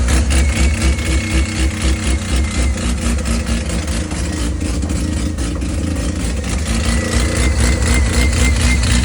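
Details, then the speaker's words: Mazda rotary engine burbling at fast idle with a faint thin whistle on top; sounds like an air leak, location unknown; plan to run water over the manifold to find it. Cause suspected, not confirmed. "but it sounds like there's an ear leak in it like a whistle but that could be anywhere"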